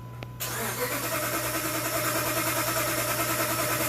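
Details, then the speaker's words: 2007 Dodge Ram 1500 5.7L Hemi, crank-no-start: the starter turns over steadily at about three beats a second and it never fires. The fuel rail Schrader valve gives only a couple of drips, no spray, so there is no fuel delivery; pump or other cause still undetermined. "anything a couple drips no spray a couple drips no spray ah that's not good just a little bit of wet right there more than you're used to though"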